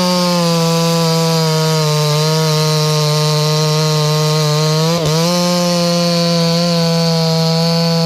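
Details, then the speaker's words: Stihl 024 AV Wood Boss chainsaw, after high-speed jet tuned slightly rich: strong, steady high-revving buzz holding pitch through the cut with only a brief dip; crisp, healthy two-stroke running under load. "It's kind of an emotional thing, I think, right now with this saw and the way that it runs, because it runs just like the old 24 that I ran at the Forest Service."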